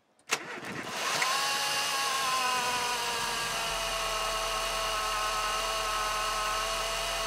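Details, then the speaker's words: Vauxhall/Opel Corsa C starting and idling with a steady, piercing high-pitched whine from a refurbished alternator, which now only charges above about 5000 rpm before being replaced. "it just had this horrible horrible high-pitched whining noise so you guys will hear that"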